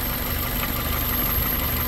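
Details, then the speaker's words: 2001 Toyota Corolla 1.8 with P0301 cylinder one misfire, hot engine idling slightly uneven and unsettled; spraying brake cleaner at the intake near cylinder one changes the idle. Owner suspects a damaged intake manifold gasket vacuum leak. "Aquí está el problema qué estar pasando será que el empaque del inter está dañado"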